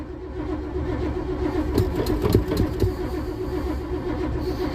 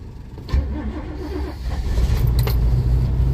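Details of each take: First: 1987 Winnebago, cold start after sitting, battery terminals upgraded from side post to top post, gas pedal pumped: the starter churns the engine over in uneven pulses without firing; it cranks but won't start, and turns out to be nearly out of fuel. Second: 1987 Winnebago cold start after sitting, with a battery terminal upgrade from side post to top post, throttle pumped and very low fuel: slow, uneven cranking, then the engine catches and settles into a low, rumbling, slightly rough run.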